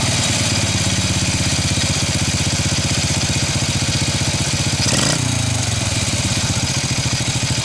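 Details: First-generation Honda Revo carbureted motorcycle after cleaning clogged carburetor jets that made it die on throttle: small single chugs at an even idle, picks up cleanly on a brief blip and settles back smoothly; running normally.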